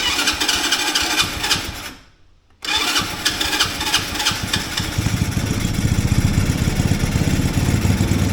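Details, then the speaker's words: Mini Willys-style Jeep small engine, choke out, spark checked, NGK CR7HSA plug: fires, dies away, catches again and runs only on throttle; idle too low, not getting enough fuel to idle, before idle screw adjustment. "H appears we're not getting enough gas to idle"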